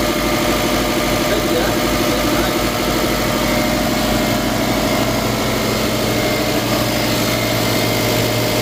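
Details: Subaru Forester 2.5L EJ25 after intake manifold removal and fuel line replacement, run about 20 minutes toward operating temperature and bled of bubbles: low, steady, even idle with no misses or ticks; running really good.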